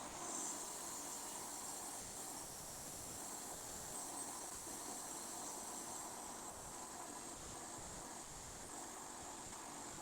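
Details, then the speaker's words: Air conditioner being recharged with refrigerant, about 15 PSI of a 60 PSI target; steady faint high hiss heard clearly at the leak point, pressure dropping quickly, a large leak. Refrigerant leak. "Tapi saya dengar kat sini lah, kalau kat sini memang kita orang boleh dengar dengan jelas, memang macam memang ada mana-mana bocor ni."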